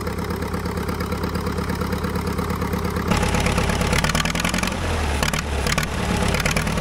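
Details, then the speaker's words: Caterpillar dozer diesel, parked since 1992, finally catches after a stubborn start and settles into a loose, steady chug that picks up slightly then runs evenly; runs pretty good now, a normal healthy idle. "well I tell you what that thing was stubborn it sounds like it runs pretty good now first time since 1992."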